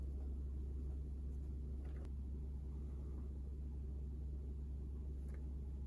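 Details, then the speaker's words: Rewound, remagnetized and oiled Athearn Jet 400 HO-scale motor running free: steady, even hum with no rattle or grinding. It draws under 50 milliamps, and stall current has been halved to about 1.5 amps; it now runs better than ever. "This is easily the best that this motor has ever run. It's not even drawing 50 milliamps running free right now."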